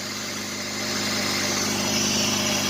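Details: Jeep Liberty, 201,905 miles, engine same as 2005 Grand Cherokee: even steady idle with smooth hum, no misses, knocks or ticks; owner thinks it runs slightly smoother after changing some wiring; had earlier failed to start once.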